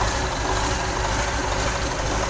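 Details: Mitsubishi Fuso 6D22 six-cylinder truck diesel test-run after rebuild/service, before installation into the chassis. Deep, even rumble with steady beat and no knocks or rattles; sounds healthy and strong.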